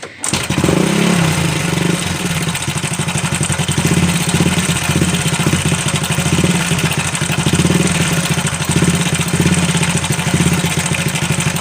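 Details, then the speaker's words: Supra Fit New, owner reports a strange noise inside the engine: starts and settles into idle with a rapid, even clatter over the firing beat; cause unclear. Abnormal engine noise. "Sini katanya ada terdengar suara aneh di dalam mesinnya."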